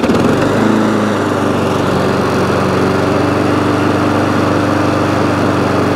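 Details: ATCO lawnmower, crack in deck being repaired; throttle cable jammed and needing cleaning, yet engine runs. It holds a steady, buzzy run at constant speed with no surging, knocking or misfire; sounds healthy.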